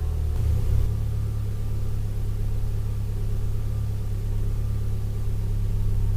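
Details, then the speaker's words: 2012+ Mitsubishi Lancer with newly installed CNT axle-back exhaust, cold start recorded with door open then closed, idle dropping as it warms; deep steady smooth drone, no ticking or popping, normal cold idle. "So this is going to be a cold start with the door open."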